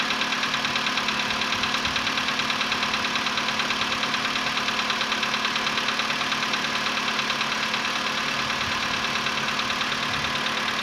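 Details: VW Polo Sedan CFNA engine, 105,000 km, cold start at 20 °C after sitting about 15 hours, before decarbonizing: steady sharp metallic light knocking about three per second over idle, fading within a minute; cold-start piston knock.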